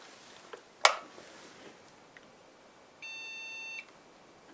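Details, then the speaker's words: HP Pavilion a6110n desktop (AMD 64) with 1 GB PC2-5300 module: one long steady beep repeating, POST failure; motherboard believed dead, memory incompatibility not ruled out. "Yeah. Still doesn't like it, so that motherboard is toast."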